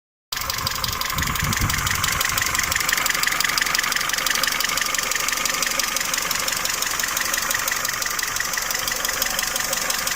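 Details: Peugeot 307 2.0 L EW10J4 engine at idle: a sharp, steady top-end ticking knock about three per second over a smooth idle, from camshaft knock caused by worn camshaft bearing seats and journals.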